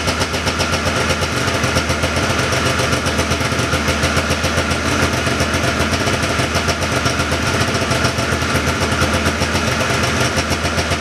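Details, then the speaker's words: 1979 John Deere Cyclone 340 vintage snowmobile two-stroke, revived by carb cleaning, no airbox or filter fitted: fast crisp rattle holding steady at slightly high idle, no stumbling or surging; idling pretty good, could use slight adjustment; normal idle. "seems like it's idling pretty good could make a little bit of an adjustment"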